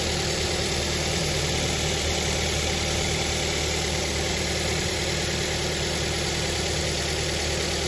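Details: New Avanza 1.3 after fan belt and tensioner pulley replacement, test start: steady even idle with constant low hum, no squeal, chirp or rattle from the belt; engine sounds healthy.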